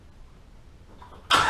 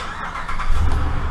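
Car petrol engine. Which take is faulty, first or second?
first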